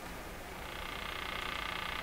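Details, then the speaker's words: Crosley 43FB farm radio during restoration, on the shortwave band: rapid even ticking, about twenty a second, over hiss. The cause is unknown, and the owner suspects his own work caused it. "she's a ticking okay so based on my fantastic investigation let's fill around some shortwave stuff"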